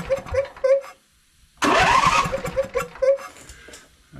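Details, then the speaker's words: Husqvarna YTH22V46 riding mower after adjusting excessive valve clearance: starter chugs over evenly without hanging up, engine catches and fires; low-speed compression release working, normal cranking and start. "okay so now what we're having here is that with those valves closer this side is not locking up like it was before that low speed compression release is able to release there and it's able to while this thing's going slow it's able to turn the unit over"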